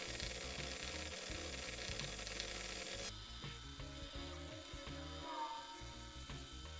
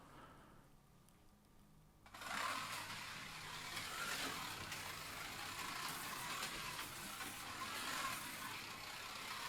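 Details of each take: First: Policar WRX slot car motor running at fairly low revs during run-in with car polish on its plastic gear: rough, gritty buzz with ratchet-like chatter before the gear beds in and quietens. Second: Policar WRX slot car after rough sanding of the tires to match tuning; soft, even motor hum and tyre hiss with no rattle or whine surges, running quietly like the matched blue car.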